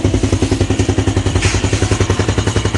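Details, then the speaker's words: Yamaha Jupiter Z1 fuel-injected motorcycle right after start-up following a light service, idle speed still unstable: fast regular clatter over uneven idle from the cam chain tensioner, considered normal at start until it settles. "Jadi ini tuh dianode apa penindis rantai nya memang begitu masih awal masih kurang stabil putaran mesinnya"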